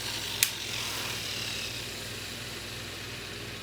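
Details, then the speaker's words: Abu Garcia baitcasting reel fitted with a Hawg Tech ceramic bearing, free-spool test: a click, then a loud, airy high-pitched whir that fades, a noisy spool bearing compared with the quiet stock bearing. "hog Tech bearing in here I hope you can hear it it's pretty loud now"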